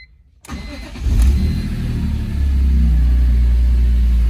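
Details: Retired BMW M3 track test car with independent throttle bodies, first start after sitting for years, following new fuel filter, fuel pump, crossover tube, O-rings and cleaned tanks and lines: catches quickly, revs once, settles into deep steady idle.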